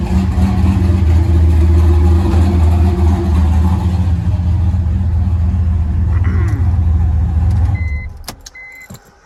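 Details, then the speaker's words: Turbo LS V8 with Holley EFI on E85 in a BMW M3, after trimming idle fuel; low steady burble at idle with even beat, no hunting, reading 14.5–14.7 AFR, before shutting off; clean healthy idle. "just a tiny bit, and we're looking pretty good. 14.5, 14.7, that's about pretty typical for E85."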